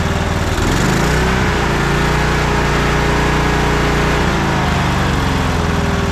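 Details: Troy-Bilt Bronco riding tractor, small single-cylinder engine, unused about a year, running on old gas after choke start: steady, even putter with no misses or surging, settling into a smooth idle; normal idle.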